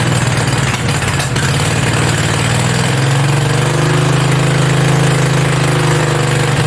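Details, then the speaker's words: Mini bike V-twin, a generator engine, first start with belt off and throttle knocked up; fast, steady, slightly uneven rapid thump that never settles; idling way too high, fix is the idle screw underneath needing a screwdriver. "there's actually a screw underneath holding it because it's idling way too high so i gotta find a screwdriver and get that adjusted"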